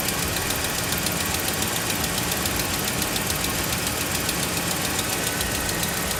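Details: Dodge Ram Hemi cold idle after sitting about a week. A sharp, quick ticking of about three or four beats a second sits over the engine. It began four months ago and fades when warm. Possibly an exhaust leak.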